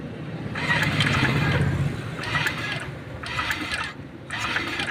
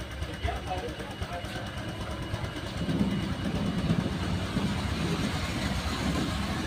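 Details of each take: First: Honda Vario 125 on brief starter presses: short bursts of raspy whirring, sometimes very loud, sometimes gone then back; traced to a noisy coolant water pump. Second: Honda Vario 125 run with the radiator water pump removed: a steady, even idle with a soft pulse, no whirring or grinding. This confirms the noise came from the pump, with its hardened seal and rough bearing.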